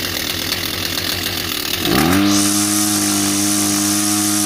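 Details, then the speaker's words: Kawasaki TJ35 brush cutter, after repair: carbon-blocked exhaust port cleared and carburetor serviced, previously bogging with no power: revs up to a steady, even high buzz with no bogging or stumble; running normally. "So we basically put everything back together, and as you can hear, it runs a lot better than what it was before."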